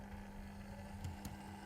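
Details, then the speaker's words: Atlas C420 model diesel locomotive after running in, coupled to freight: even steady hum with constant pitch, some noise but no roughness or catching; powerful, healthy motor running normally. "There's a bit of a noise to it, but I wouldn't say it's such an unhealthy sound anymore. It just seems to be a powerful sound."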